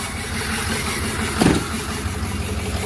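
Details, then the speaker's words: Flatbed truck at 213,379 on the odometer, idling: uneven lumpy idle with irregular stumbles and thumps; misfire getting worse, cause not yet found. "oh yeah [Music] that sounds terrible now it's running bad island now it's definitely getting worse"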